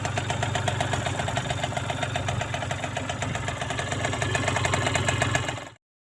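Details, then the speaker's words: Aprilia Gulliver 50 two-stroke scooter with fuel tank at bottom, running after fitting the air filter with larger opening and taping a leaking filter neck: crisp, quick even buzz, steady then cut off; runs very smooth, healthy. "runs very smooth a filter neck was leaking tape on there but yeah I know we people love exhaust sounds"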